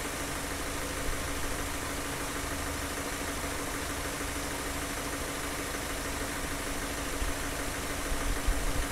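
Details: Car engine idling during fuel injector cleaning: a ticking "tuck tuck" heard at the start has gone; now a steady, even idle hum with no tapping; smooth and healthy.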